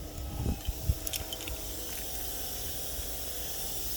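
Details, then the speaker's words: 2012 Volvo truck idling: faint, steady hiss at the rear with a few clicks; owner suspects it might just be a relief valve rather than an air leak. "Something's hissing back there, but it might just be a relief valve."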